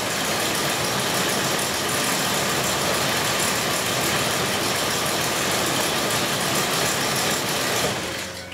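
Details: 2002 Ford Explorer Sport Trac 4.0 L V6 with cylinder 6 misfire and bad bank 1 sensor 1 O2 sensor, cold idle: loud rough idle stumbling about four times a second, one cylinder dropping out; owner says it smooths once warm.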